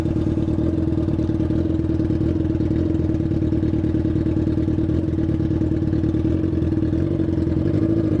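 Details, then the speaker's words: Yamaha FZ6 motorcycle riding at steady speed on the street: constant nasal tone with a clattery edge; rider notes an ugly strange noise that came back after washing the bike; abnormal engine noise. "Oxe ver a moto agora tá dando um fada fazendo um barulho estranho agora você é louco cachorro Zinho pera aí tio barulho feio tá fazendo a moto rapaz"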